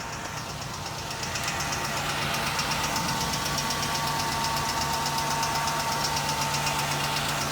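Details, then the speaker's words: 2014 Ram 1500 3.6L V6 at idle: sharp, even ticking about four times a second from the left valve cover, located by stethoscope; suspected roller lifter or rocker arm, found to be a bad lash adjuster once the valve cover was removed. "I complained about a ticking noise. Ticking noise appears to be coming from the left side valve cover. I'm thinking about like a roller lifter or rocker arm type noise."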